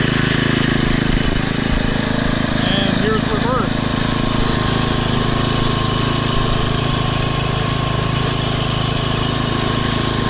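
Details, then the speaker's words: Poulan/Weed Eater VIP garden tiller, 5 HP Briggs & Stratton single-cylinder, 15+ years old, after tune-up (new plug, air filter, oil, mixture-screw adjustment), throttled down to idle: even unhurried putter, no hunting or misfire; smooth idle. "and listen to that engine idle down running great that's how a 5 horsepower brakes and striding engine shuts down"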